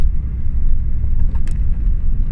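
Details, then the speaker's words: Ford Fiesta MK5 project driving after front suspension knock fix: steady low road rumble with no clunks or knocks over bumps; knocking resolved, separate boot banging at rear remains. "I think I think we've sort of the problems that we've been having there's no knocking"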